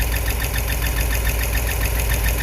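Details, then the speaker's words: Ram 5.7 Hemi V8 run with the front belt removed to locate a noise: loud idle with an even light tapping, roughly four per second, on top; suspected lifter tick, not confirmed. "the belt's not on the front it definitely has that noise something related with a lifter"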